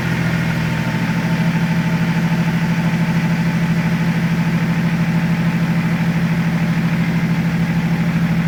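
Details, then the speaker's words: BMW E36 Compact, first start after swapping in a replacement M57 diesel (the old 240k-mile engine had valve float), with the intercooler pipework refitted. Steady, even diesel clatter at idle with no knocks or misses, run before revving. "Sounds alright. I let it run for a couple of minutes before I give it a rev."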